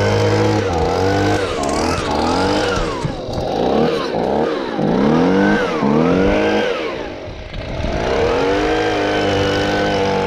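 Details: Stihl BG55 handheld leaf blower, two-stroke, just started after fitting a new aftermarket carburetor: revs surge up and down unevenly and won't settle to a steady idle, so the carburetor idle needs adjusting.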